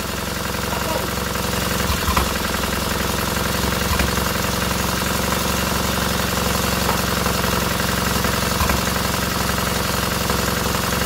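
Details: Freshly rebuilt K750 twin-cylinder motorcycle engine after first start, ignition problem fixed: steady, even idle at roughly four pulses a second, no misses; both cylinders firing cleanly and heating equally.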